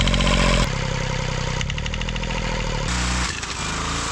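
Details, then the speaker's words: Kubota 3-cylinder 0.8 L diesel with a lot of internal rust, after an injector pump rebuild: rough running with a heavy, irregular knock of about three to four beats per second that shifts with speed. Connecting rod knock, and a rod piece was found. "That was some interesting knocking sounds. And I'm not sure what caused that."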